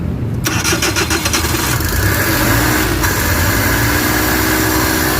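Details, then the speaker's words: Suzuki DA64/DA63/DA17 with the full system not yet reinstalled: the starter turns briefly and the engine catches cleanly into a steady, slightly fast idle; the idle is high because the turbo intake is left open. "Mataas yung menor niya kasi turbo type to naka-open hindi natin pero okay na yan. Panalo na yon."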